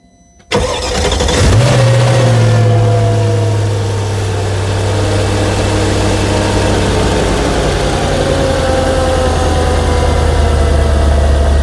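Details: Mercedes SL55 started after the belt tensioner pulley was replaced with a new pulley and bearing, and the supercharger belt was refitted and tensioned: quick crank and catch, brief rev, smooth steady idle with no squeal, rattle or chirp; normal start and idle.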